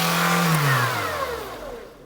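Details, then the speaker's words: Barn-find 1990s Nissan Primera GT, SR20 engine, just after its first start from storage: revs hang high and only slowly wind down instead of dropping to idle; throttle sticking, suspected to be the throttle cable, to be sprayed with lubricant. "throttle stuck wow that did stick yeah goodness oh hang on it's the cable isn't it"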